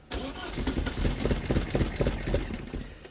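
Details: Vauxhall Corsa B with rebuilt seized C20XE engine on carburettors: steady starter churn about four pulses a second for several seconds, never catching. Fuel and spark present; owner suspects the carbs need rebuilding or the roughly 4-bar fuel pump is flooding them.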